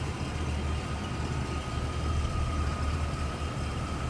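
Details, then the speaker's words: 1990 Cadillac Brougham, 5-liter V8, automatic with overdrive, 55,991 miles, warming up, hood open: soft, even idle with a steady low rumble and no knocks or hunting; smooth runner, normal idle. "And here it is, 5-liter V8, and it is a smooth runner. Wow."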